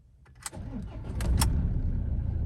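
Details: 2013 Ford Ranger XLS 2.2L diesel double cabin, ex-mining truck from Kalimantan: key click, then the engine catches quickly and settles into a smooth, even low idle with no knocks or misses; normal start and idle.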